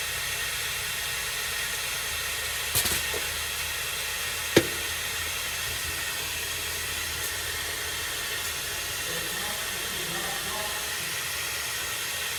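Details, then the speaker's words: MCI 9 bus air brake system: a faint steady hiss with a couple of sharp knocks as air leaks from the bottom of the inversion valve. The owner suspects it is fed by a leaking air line behind a brand-new leveling valve. "It's definitely got a leak. Also coming out of the bottom of the inversion valve, which I think is because this is leaking in here."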